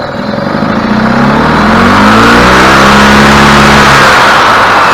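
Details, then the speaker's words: 2003 EZGO TXT gas golf cart, previously only clicking at the solenoid without starting, after the starter fix: engine fires right up and revs smoothly with an even, steady note; normal running. "all right looks good to me guys sounds good running good firing right up it's hard to beat that"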